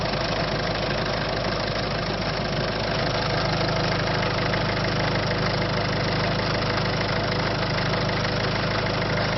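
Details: 1.6 HDi diesel at idle with a rough, irregular knock about three per second over the usual clatter; abnormal engine noise, cause unclear.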